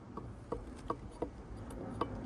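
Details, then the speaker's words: Failed HKS 2835 GT Pro turbo from a JZX100, hot side cracked: light, uneven clicks, about six in two and a half seconds, from a worn shaft knocking in loose bearings; shaft play and bearing noise. "Had some shaft play too,"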